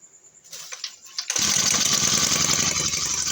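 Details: Honda GX35-type four-stroke brush cutter fitted with a two-stroke carburetor (one screw set about 1.5 turns); after a brief pull it catches and settles into a fast, buzzy, steady idle, a clean quick start.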